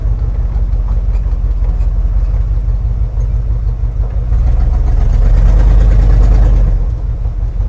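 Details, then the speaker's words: Squarebody plow truck V8 started after sitting for years: steady, even idle swells smoothly on a throttle blip and settles back cleanly; hood bouncing with rpm, tires bouncing; sounds healthy, needs only an oil change; normal idle and revving. "We'll fix that in the next video. Sounds healthy to me. Still running great, guys."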